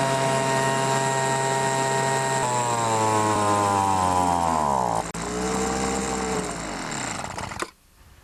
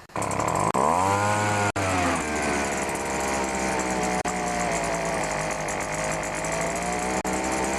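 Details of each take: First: Poulan Pro BVM 200 25cc two-stroke leaf blower, fuel tank emptied for winter storage, run until dry with choke applied: high buzz sags and surges in pitch twice, then cuts out. Fuel starvation stall. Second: Pro BVM 200 leaf blower with 25cc engine, startup: fires right up, pitch rises quickly and settles into a steady, even high buzz with no misses or surging. Normal running.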